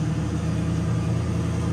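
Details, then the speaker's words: Ford Mustang with single-turbo L33 V8, first start-up after removing ignition timing offset that prevented starting: deep steady rumble with even firing, no misses or knocks; vacuum leaks still to fix. "it lives it lives yeah so the timing offset was definitely the uh problem why I wouldn't want to start"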